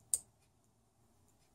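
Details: Automotive relay bench test, power applied to pins 86 and 85 with a multimeter on 30 and 87: a single crisp click as the coil energizes, then quiet; the relay pulls in cleanly and works normally.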